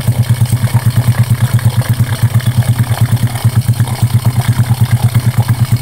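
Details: Honda Karisma after piston replacement (oversize) and valve adjustment, previously had white exhaust smoke and rough piston noise: even steady single-cylinder thump at idle, about three beats a second, no knock or tapping; healthy idle.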